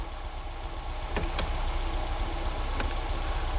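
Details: Barn-find classic Ford Fiesta petrol, warming up with the choke now off and the battery light still on: a steady, even idle with a smooth low beat, no knocks or misses, and a couple of handling clicks; a normal warm idle.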